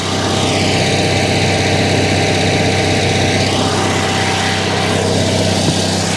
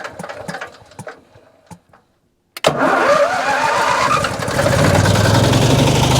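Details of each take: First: Generator on a motorhome running after being repaired, heard at night outside: loud, steady drone with even low hum and constant note, no misses or knocks; generator working normally. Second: Non-running salvage RV generator, DTX P55 extended-performance carburetor: a few crank pulses, a pause, then catches with a rough rising roar, settles and cuts out unevenly; start then stall, cause not confirmed.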